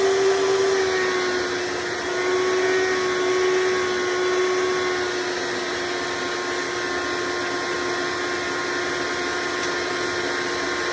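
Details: Hoover Decade Soft & Light Elite vacuum (owned since May 2024), first run after replacing 7-bladed fan impeller with 20-bladed upgrade, bearings greased: steady even fan roar, constant mid-pitched tone, no rattles or scraping; mostly quieter, still a little loud.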